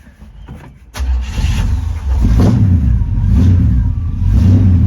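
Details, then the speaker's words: 1972 Chevy C10 with a 350 V8 and 3-speed automatic, not run in years, started via the starter with vise grips: short crank, then it catches and surges roughly before dying, running only on fuel left in the carburetor bowl. "Might have been all the gas in the bowl. Yeah, I'll try to crank it again. Huh. Uh I think it needs more gas."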